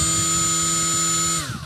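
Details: Milwaukee M12 cordless die grinder with a properly seated Roloc disc, free-spinning: steady, even high-pitched whine with no wobble or shake, then a clean wind-down; normal running, balanced.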